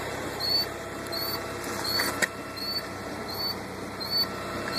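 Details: 2000 Volvo V40 1.9T just after start-up: high thin chirp about every three-quarters of a second over a quiet idle; squeak of undetermined source.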